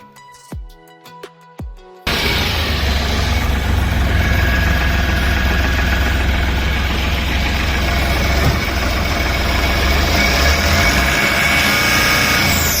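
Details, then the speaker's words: Ashok Leyland Dost diesel pickup that had low pickup and would not rev fully, with a fault code on OBD scan; cut sensor wire found, joined and sleeved. After repair it starts perfectly, clicks then settles to a steady smooth idle and revs well; normal idle. "Customer happy வண்டி பர்பெக்ட்டா start ஆயிடுச்சு. அதுக்கப்புறம் பாத்தீங்கன்னா நல்லா race ஆகுது."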